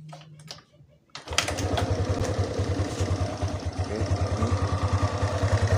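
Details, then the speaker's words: Suzuki Sky Drive 125 automatic scooter, kickstarted just after a CVT service: catches after a second and settles into a steady, even low idle putter with no rattle or rough knock, running smoothly. "ini oke, untuk kecepatan idle , seperti ini. Suara saat diam."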